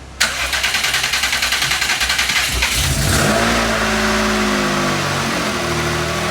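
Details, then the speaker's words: Subaru Levorg, turbo flat-six, 600+ hp, first start after weeks of engine work to cure a noise: cranks, catches and flares, then drops to a steady, fairly loud idle with no knocking or rattle; still somewhat noisy but much better. "so sounds noisy I'm not terrible I'm not as [Music] bad this is good news people this is good news"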